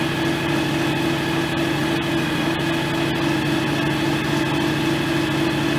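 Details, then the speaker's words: John Deere X738 lawn tractor at its 50-hour service, running after a transaxle oil top-up (level had been half a quart low across the shared front/rear system): steady, even engine drone with constant pitch, no transaxle whine; steering felt slightly stiff. Normal running. "It sounds like it runs fine. Doesn't sound like it's anything's whining or anything like that."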